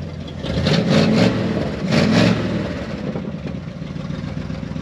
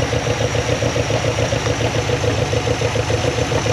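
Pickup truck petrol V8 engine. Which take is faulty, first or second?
first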